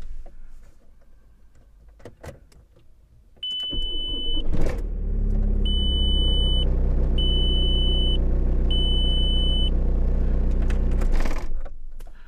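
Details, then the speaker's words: Bosch starter motor on a TDI Corrado conversion, after a strip-down, cleaning and fresh-grease rebuild with no new parts to cure slow, poor cranking despite a good battery. Even, brisk crank with no labouring; repair successful. "well that sounds a lot more positive cleaner crank definitely doesn't sound like it's struggling I think that one's been a success"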